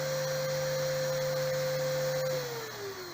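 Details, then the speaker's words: RO plant raw water pump on a digital panel in manual mode, overcurrent set at 0.5 A: motor hums, then cuts out with beeping as the panel trips; current limit too low for the load. "अब ये जो है बंद हो गया, आपको सुनाई दे रहा है, और बीप बीप की आवाज़ भी सुनाई दे रही है, यानी कि जो हमने लोड इस पर फिट किया था रॉ वाटर के लिए वो सफिशियंट नहीं है।"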